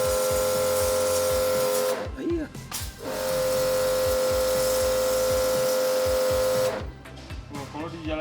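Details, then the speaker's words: Kodenki KDK-8120V jet cleaner (pressure washer) on start: steady strained motor hum with fixed tone, labouring, then cutting out and restarting; gauge not at zero before running; cause unknown; motor straining under load. "H ini kedengaran suara kayak ngeden itunya si 1800 lebih itu."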